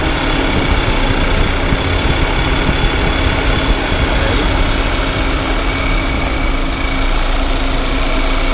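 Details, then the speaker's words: VW Tiguan running in Drive while someone pretends to pull away: a dense, oscillating rattling knock at the front that grows louder and seems internal to the engine. It comes from a worn Poly-V belt tensioner. "Esse barulho no motor, tá? Estamos aproximando aqui. Eu quero mostrar pra vocês ali de onde vem esse barulho, tá? O barulho que parece que é dentro do motor, mas não é."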